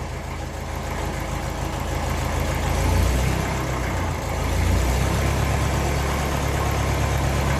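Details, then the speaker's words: 1954 Ferguson 20 TEF diesel tractor, cold just after starting: fairly even idle with slight rise and fall, chuffing from split silencer; a lot steadier than before, normal idle. "But at least it's a lot steadier. I don't mind a bit of up and down when it's straight away."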